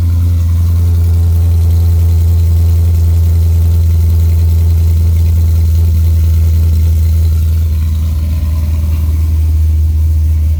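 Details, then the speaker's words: C6 Chevrolet Corvette Z06 with Akrapovic catback exhaust, cold-start idle. A deep, steady V8 burble chops and wavers now and then, giving a rough idle. The owner suspects a miss, maybe a bad spark plug or plug wire, but this is not confirmed. "i don't know sounds like the car's missing or something i don't know it kind of chops around sometimes maybe a bad spark plug mad wire who knows"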